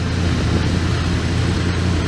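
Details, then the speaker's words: 1988 Dodge B350 fleet van V8, rusty drivetrain donor: deep, steady rumble with an even beat and no knocks, ticks or misses. Runs good and sounds great. "so runs good sounds good just rusty be 350 you can hear it just sounds great"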